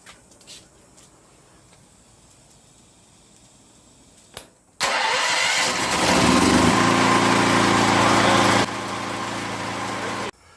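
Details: Powerhorse 9000ES generator, cold start after sitting a couple of days, with new carburetor, petcock, fuel lines and solenoid, cleaned tank and airbox: a short pull and it fires straight away, then holds a smooth, steady drone; normal start and run.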